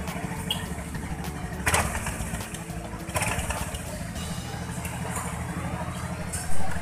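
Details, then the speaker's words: Honda Beat FI scooter after the blower fan was ground flush and its bolts tightened: steady, even, smooth low idle, no longer rough or noisy as before the repair. "Jadi pertama awal kita hidupkan tadi dan setelah kita perbaiki tampak suaranya lebih halus ke udah enggak kasar lagi"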